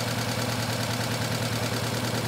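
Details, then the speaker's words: Petrol engine idling with one injector deliberately disconnected, running on three cylinders: lumpy, uneven pulse from the dead cylinder, a single-cylinder misfire at idle during scope diagnosis. "i've got the um injector disconnected so i don't want fuel gun in that cylinder because i know it's not going to be firing okay and now we want to go to uh let me start up i'll make some adjustments on the run okay we're running on three cylinders here we go"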